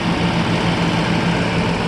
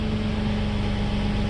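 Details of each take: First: 1995 Mercedes S600 coupe (W140) V12 from Florida at idle: smooth, even low hum with no knocks or misses; engine judged pretty good but leaks oil, air pump makes slight noise, engine mounts badly worn. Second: 1995 Mercedes S600 coupe, engine starts and runs: even idle with a hard, raspy, overly loud droning note; exhaust leak somewhere in the system.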